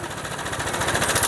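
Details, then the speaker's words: Honda PCX scooter with sudden rough noise: quick steady metallic chatter over idle that smooths when the tensioner is pressed by hand; cam chain tensioner rattle from the tensioner setting. "nah itu memang sudah fix Ya bahwa masalahnya di setelan tensionernya lagi"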